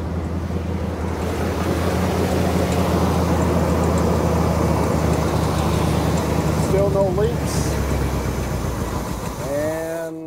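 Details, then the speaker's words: 1979 Chevy C20 big-block square body, off the road about 13 years, first start after installing an electric fuel pump with block-off plate: engine catches, holds a rough lumpy idle, then sags and stalls. Owner will check for fuel in the carburetor. "it died okay try that again hmm there we go dying out almost there keep going keep going there we go made it"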